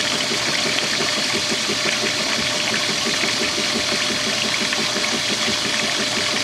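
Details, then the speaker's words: Whirlpool direct-drive washer refilling for the regular wash at full water pressure: even agitator strokes about four a second over rushing water, good turnover; normal agitation while filling. "he's taking water oh all right you had enough there you go and it just squashes again has some nice turnover right here"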